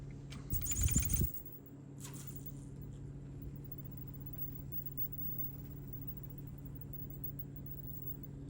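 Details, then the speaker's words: 1/24 RC crawler truck after swapping the Castle Nano ESC for a Furitek Lizard: brief motor and handling noise, then a quiet, steady low hum with no controller whine. "Much better."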